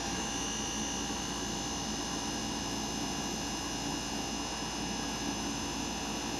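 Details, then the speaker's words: Inverter air conditioner compressor ramping up after start: current rises gradually from 0.8 A toward 2 A as compressor speed increases, then stabilizes; an even, steady hum with a constant high whir and no surging or rattles, which is normal running. "se escucha el ruido del compresor cómo va acelerando"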